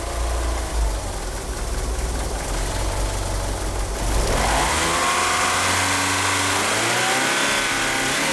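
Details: Car fitted with 850cc fuel injectors idles rough: uneven, lumpy idle, then a hesitant rev that climbs slowly; it is unable to rev up, and the power steering pump belt slips.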